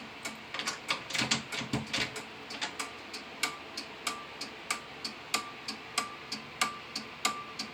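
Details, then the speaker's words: Simplex 2001 fire alarm panel with march time card, working after two resistors on the signal card were cut; strobe at 1575 candela: crisp relay clicks about every third of a second, steady with faint ring, normal march-time relay pulsing. "I love the sound of those relays."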